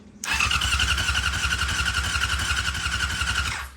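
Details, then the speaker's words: 1999 Yamaha R6 non-runner cranking with an oscilloscope on the pickup: steady starter chug for a few seconds without firing, crank no start; pickup shows about 1 V peak-to-peak and seems fine, so the CDI is suspected bad, not confirmed. "which means that our pickup seems to be working just fine. Alright, so I'm fairly confident the CDI is not good."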